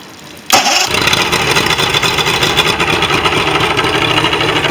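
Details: Mercury XR6 150 outboard after fixing a no-start by cleaning out contaminated fuel and fitting new spark plugs: a sharp crank catches at once into a steady, even buzzing idle with no stumble or misfire. Normal start and idle.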